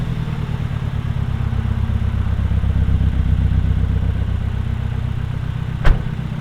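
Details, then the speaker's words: MG ZR after new parts were fitted to cure a misfire and power loss. Deep, uneven thrumming with dropped beats, one sharp crack, and vibration felt from the seat: still misfiring, the fix failed. "I think it's still missing. But I don't know. It might be alright. It seems weird. It's definitely not. It's not right."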